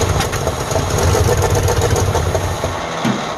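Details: 1948 Ford F5 bus abandoned 25 years, just started: uneven, lumpy idle with loose irregular pulses and deep rumble; owner says it needs a tune-up, carburetor rebuild and throttle linkage hooked up. Rough running.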